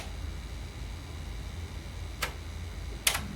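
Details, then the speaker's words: Sony TC-WR710 dual cassette deck, deck A pressed to play before belt replacement: motor hums while the mechanism clicks about a second apart, flipping between reverse and forward without playing; worn belts. "You can hear the motor spinning. So that's a good start. And it's trying to do the reversed. And now it's going back to forward."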